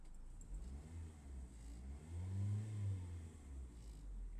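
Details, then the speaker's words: Car that fails to start when ground is wet but starts when dry; dry ground now: engine catches, low steady note, swells on brief rev and settles; normal start and rev. "You just heard it start. You saw me driving it back forward and back. You hear the engine revving revving."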